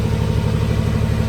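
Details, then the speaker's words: Willys Jeep CJ5 with swapped Chevy 4.3L V6, exhaust finished with muffler over the axle and custom tailpipe, recorded on a phone: deep, smooth, even idle with low steady burble and no ticks or rattles; normal idle. "iPhone I'm sure but it's not bad I like it can't wait to drive it"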